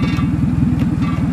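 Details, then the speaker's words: 2000 Toyota Camry, about 180,253 miles, after replacing faulty ignition coil, misfire gone: low lumpy normal idle with fast buzzing rattle on each firing pulse; something on the exhaust vibrating, done for years, cause unconfirmed. "Now that rattle is something it has done for, I don't know, 12 years when it's in a low normal idle. There's something on the exhaust that is vibrating and it does that every now and again."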